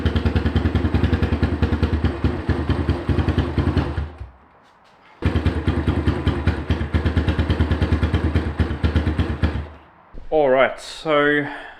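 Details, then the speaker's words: Cold 150 four-stroke, with adjusted lifters, fresh fuel and a new generic carb the owner suspects is jetted too small: uneven, lumpy beat, stops, restarts and still stumbles; poor running. "even with properly adjusted lifters, fresh fuel, and tinkering with the carb on the 150, I just can't get it to run well."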